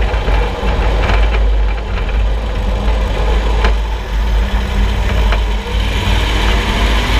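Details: Suspension noise while driving: occasional dull clunks over steady low road rumble, exact source not pinned down. Suspension clunk.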